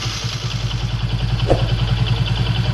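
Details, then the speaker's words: Vikrant V15 motorcycle after one-way clutch repair for a bad engine noise: steady even idle thump around nine beats a second, no rattle or clatter; noise gone. "कोई भी आवाज़ नहीं है भाई के अंदर"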